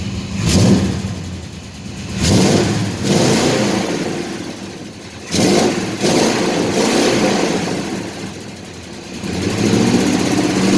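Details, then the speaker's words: Chevy C10 truck after the broken exhaust was welded at a muffler shop: revs up and drops back with a smooth, even note and no rasp or puffing leak; normal exhaust. "como ven ya no se escucha el el el rompido ya armado mucho más suave"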